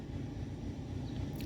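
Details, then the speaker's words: 2014 Hyundai Santa Fe (P0447 evap vent circuit, large leak codes) at idle: uneven, wavering idle with small stumbles; owner suspects the valve timing solenoids aren't working, though scanner shows desired and actual cam values matching. "i don't know if you guys can hear that over me talking but the engine is stumbling and it's idling funny so i could tell right now these uh solenoids are not doing what they're supposed to"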